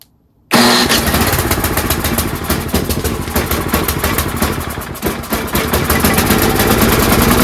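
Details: Tecumseh snowblower engine surging/hunting at idle, chugging unevenly with speed sagging and picking back up instead of holding steady, caused by a clogged carburetor pilot jet; fixed by cleaning it.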